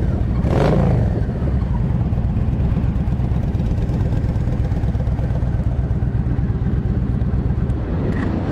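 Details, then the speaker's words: Used 2007 Yamaha V Star 1300 V-twin, 24,989 miles, right after start-up: steady even low thumping idle, no rattles, knocks or smoke; healthy idle. "Fires right up. Don't hear any kind of rattling or engine noise, no smoke. Got a nice little thump to it."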